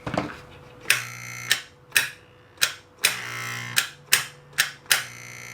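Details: NuTone Model 478 apartment control amplifier on its second repair, after touching up cracked solder joints on the pins: short bursts of low electric buzz, each starting with a sharp click, about once a second; door release working normally.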